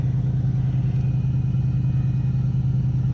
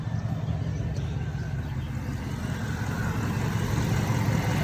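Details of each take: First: 2001 Cadillac DeVille, no check engine codes, started up: steady raised idle with a faint constant hum, secondary air pump blowing air into the intake; RPM drops once the pump shuts off; normal high idle. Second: 2001 Cadillac DeVille, engine cover back on after EGR valve replacement, MAF sensor and dirty throttle body cleaned for P1404: low, smooth, steady idle rumble with no stumble or hunting; sounds better, normal idle.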